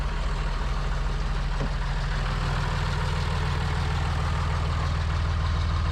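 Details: John Deere 3350 tractor diesel after head gasket replacement, warming up before road test: steady, even idle with a regular low beat and no misses, knocks or blowing; running healthy.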